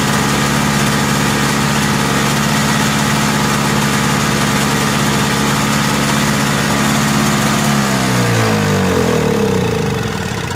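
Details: Lawn-Boy Insight single-stage snow blower after service with a new spark plug, exhaust hooked up: steady two-stroke drone holding speed without surging, then smooth wind-down at shutdown; running stable.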